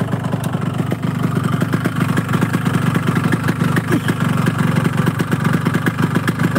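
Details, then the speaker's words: Yamaha RX two-stroke motorcycle with a rough-sounding engine, idling: fast, sharp metallic knocking on every turn over a rattly idle. The mechanic says the piston is noisy but the connecting rod (setang) is loudest, a rod knock; incomplete combustion, possibly from fuel, is also suspected. "mesinnya ini suara pistonnya bunyi tapi nggak kedengeran sekarang suara setang yang paling kenceng itu suara stang ya Bos"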